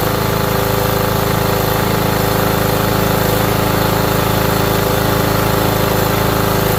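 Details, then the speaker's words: Engine knocking about three times a second over steady running, with gasoline in the crankcase; fuel-diluted oil letting the bearings knock. "You got to hear them knocking it."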